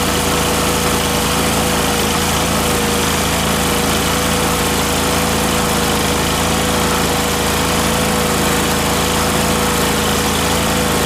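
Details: Miller Trailblazer welder engine after fitting the vacuum-operated fuel pump: steady constant-speed drone, no hunting, misses or stumbles; pump was the fault, mixture screw adjustments did nothing.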